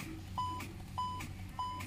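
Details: Hyundai Creta with a discharged battery (first check read 12.12 V), not charging, with a fan belt fault. A short high beep repeats about every 0.6 seconds as dash warnings appear with the ignition on.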